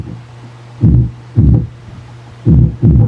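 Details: Kevler GX7000 integrated power amplifier with speakers connected, both channels: rough, gritty low distorted bursts over a steady mains hum; distortion traced to the tone control, normal when bypassing it.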